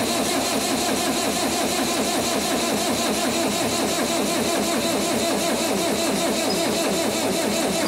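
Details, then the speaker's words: 1959 International Harvester B275 tractor with a BD144 diesel, on a battery that was not fully dead, after priming; long, steady cranking with even compression pulses but no start, though the fuel system is primed. "Maybe not. We're trying. If nothing else, the fuel system is for sure primed."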